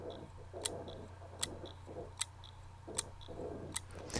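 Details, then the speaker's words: 500 GB Western Digital hard disk on a SATA-to-USB connector to a laptop: sharp ticks about every three-quarters of a second over a faint spin hum; clicking, judged a faulty disk, not worth attempting recovery. "so that is a faulty disk so we're not even going to bother to attempt to do anything with that"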